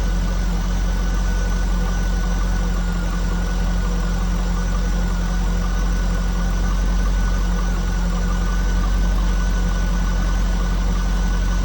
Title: Bad Lifters? Piston slap?